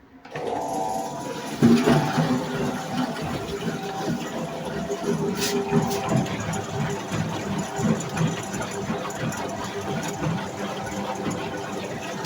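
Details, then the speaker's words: New Brandt washing machine, first run, on drain: steady low pump hum with light quick ticking; normal new drain pump noise, said to be the pump breaking in. "petit cubri qu'on entend, c'est normal, c'est la pompe, c'est le temps que elle puisse se roder."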